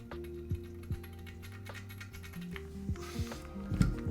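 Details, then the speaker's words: Thera v2 keyboard knob: light irregular clicks and loose rattling as the rotary encoder turns; rattle likely from this particular encoder, which is swappable. "again I think you can swap these out so maybe it's just this particular encoder"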